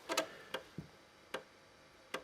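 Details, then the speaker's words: Super Wild Card floppy drive on an SNES Jr hardware clone, loading the Addams Family game from disk into RAM while counting down. A few sharp, dry clicks at irregular gaps over a quiet background. Normal floppy drive seek clicking. "drive clacking away there and it's counting down"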